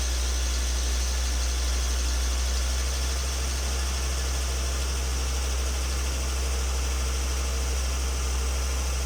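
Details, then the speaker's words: Volvo XC90 2.5T turbo petrol, cold start at idle: deep steady drone with a thin, constant high whistle from the turbo area under the exhaust manifold. "хотел бы показать как при холодном пуске происходит свист в зоне турбины"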